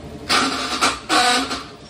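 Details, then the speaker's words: RS100 scooter won't start; short bursts of harsh clicking and rattling on each crank without catching. Suspected starter gear train: starter motor gear, double gear or starter ring gear; experience says the double gear usually fails. Not yet confirmed. "这个声音我们都直接判断从马达出来的齿轮，马达齿轮、双层齿轮跟启动盘大齿轮，可是经验上都是双层齿轮比较容易坏掉。"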